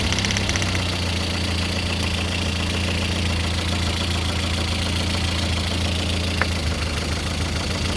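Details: Lada Kalina 8-valve (11183) engine at idle with a faint repetitive tapping knock keeping time with engine speed; owner asks what is knocking, source unclear.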